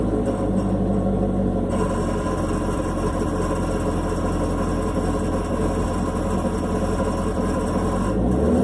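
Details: Chevrolet Camaro SS V8 at idle, then a quick rev: fine metallic rattle in the engine bay; touching the exhaust valve with a stick showed no vibration, owner guesses the AFM valve, unconfirmed, going to dealer.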